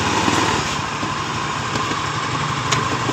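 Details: Honda Beat FI scooter idling with a loose uneven rattle from the CVT; rear wheel turns without throttle as the clutch drags, vibration on pull-away persisting even after the owner replaced the clutch parts.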